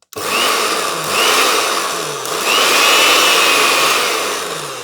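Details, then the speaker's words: Charity-shop blender, earth test passed, powered up: motor spins straight up to a high, steady whine with brief dips on each pulse, no grinding or rattle; normal running, healthy motor. "Let's see if it goes. That sounds pretty good."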